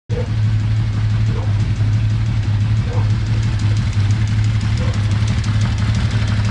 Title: Z1300 Troublesooting - Ticking Sound